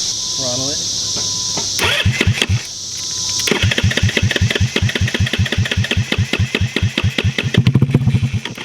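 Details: Metruckus truck started for the first time in almost 3 years on a new wiring harness: it cranks, catches, then settles into a steady, slightly lumpy idle of four to five pulses a second while the idle is being set, and the motor sounds healthy.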